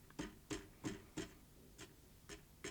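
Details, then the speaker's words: Salter EK5872 air fryer, reassembled after repair of one side not heating: about eight light taps in three seconds, each with a short ringing metallic buzz; caused by a heating element loop touching another loop, a design trait, not assembly fault. "bit of a buzzing noise when you tap it. And I spent some time trying to work out if I put something together wrong. And it turns out to be the element. It's actually where the element here touches another loop."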